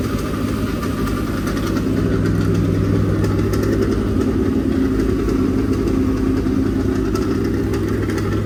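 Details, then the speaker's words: Dirt-track race engine, fresh and breaking in at a fast idle (planned 2000–2500 rpm run-in); steady loud lumpy rumble, even with no knocks or ticks, no leaks; normal running. "she sounds good no leaks that"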